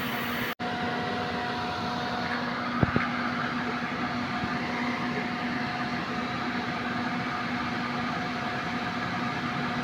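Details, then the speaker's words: Suzuki multicab (D17) AC compressor, previously noisy/grinding, after oil added and pressure checked, front blowing cold, awaiting cycle-off: steady even hum with two constant tones, no knocking or rattling; compressor pumping normally. "So monitor natin guys kung mag-automatic. So dito normal yung bomba niya."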